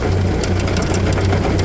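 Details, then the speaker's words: Massey Ferguson tractor running a snowblower, owner suspects a bad bearing: steady low drone with scattered irregular rattles; noise thought to come from the gearbox through to the impeller, chain bouncing, shaft vibration suspected; abnormal drivetrain noise with vibration. "that doesn't sound good I think it's coming from that gear box right there and going through to the impeller look at how that Chain's bouncing around that's tell me that just some vibration in the shaft right"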